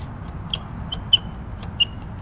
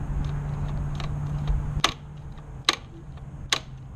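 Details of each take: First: 2016 Kawasaki Z1000 clutch lever giving short, high-pitched intermittent squeaks from a dry pivot when pulled; fixed by squirting chain lube into the pivot. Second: 2016 Kawasaki Z1000 clutch lever snapping back with clean clicks and no squeak, after chain lube was sprayed into the occasionally squeaking lever pivot.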